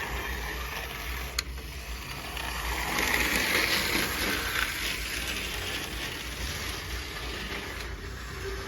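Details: Cheap H0 gauge model locomotive running on track: small motor buzz with a quick, fairly even clicking of about four per second as it rolls along; a bit stiff at times but runs smoothly.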